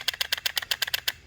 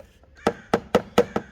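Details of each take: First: 2014 Chevy Malibu 2.5 Ecotec with code P0011, intake cam solenoid bench-tested by tapping power: crisp, sharp clicks about eight per second, each answered cleanly with no misses; normal solenoid clicking. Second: 2014 Chevy Malibu 2.5 Ecotec, code P0011, sluggish and shaky pulling away; intake cam VVT solenoid tested by tapping power: sharp clicks about every quarter second, then faint uneven ones fading out; solenoid sticking, old solenoid faulty.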